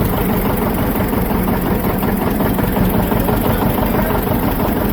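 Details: John Deere 730 two-cylinder diesel tractor, parked for years after a water-pump failure: after the water-pump rebuild and a belt start, its first start in 7–8 years gives a steady, slow, even chug with no knock or squeal, idling clean.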